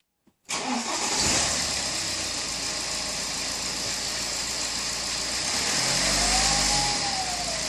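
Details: BMW E60 2.0 diesel: engine catches and settles to idle with a thin high whistle whose tone rises and falls with revs; turbo whine.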